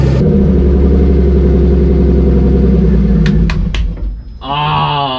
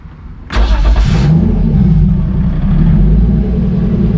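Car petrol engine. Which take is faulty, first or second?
first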